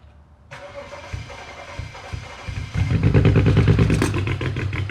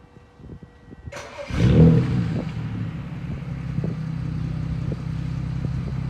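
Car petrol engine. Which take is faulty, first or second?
first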